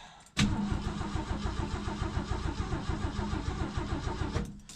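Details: Mercury Comet barn find, first start attempt after sitting since last fall, battery left connected, about 37 degrees out: starter spins engine at steady rhythmic chug for about four seconds without catching; cranks but won't start, carb then primed with fuel.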